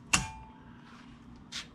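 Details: 2005 36V EZGO PDS golf cart, rear jacked up, new Navitas TSX 3.0 600A controller and HD solenoid. Pedal down gives a sharp solenoid click, then silence. No forward drive, reverse seems to work, amber flashes and the app drops. Owner suspects the motor after armature studs shifted.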